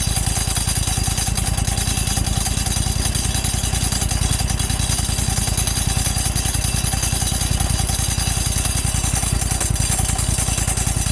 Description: Clutch Bought off Amazon For my exmark mower. Has a Horrible noise that i cant figure out. Seems to be getting worse with around 15 hours on it since new.